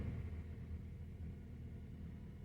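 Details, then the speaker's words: 2012 Honda Accord 2.4L automatic with code P0301 at idle, shaking badly: low, lumpy rumble with an uneven beat from cylinder 1 misfiring; cylinder 4 also shows a slight misfire. "and uh there is the misfire there let me fire right there cylinder number one right there is misfiring as you can see"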